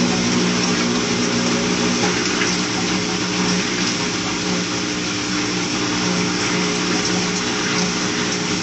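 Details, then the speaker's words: Newly delivered Maytag Bravo washer on drain-and-spin at high spin speed: a steady, even rushing whir with a low hum and mild vibration, no knocks or scraping. This is a normal spin cycle despite claims these washers are loud. "So the last thing I want you to see is at on high how fast and hear the vibration of how fast the spin is, and hear the vibration and the noise, because I know some people claim that it's quite loud."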